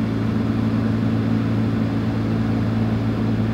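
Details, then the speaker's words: Car HVAC blower: constant low drone with a steady hum that doesn't change when switching between fresh air and recirculation, so an intake restriction is ruled out; points to an old worn blower motor. "You notice there wasn't any difference in noise. So that pretty much proves it's just an old worn blower motor."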